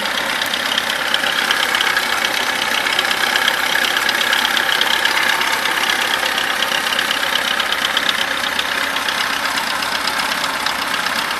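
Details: VAZ 21011 with the engine running: a sharp, fairly quick metallic tapping knock throughout, source unclear.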